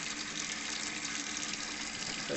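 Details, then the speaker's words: Underfloor heating zone 4 circuit filled with water, air bled out, before opening zone 3: even rushing hiss of water through pipes with no gurgle or spitting air; water flowing freely. "we've got all of the air out. Right, so that's full of water now."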